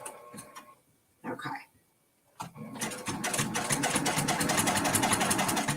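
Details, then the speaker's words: Sewing machine stitching a Kimberbell mini quilt: after the needle is rethreaded, it pauses briefly, then settles into steady, even stitching at about four stitches a second, smooth and regular; working normally. "okay is that working yes yes it is working it looks like it's working"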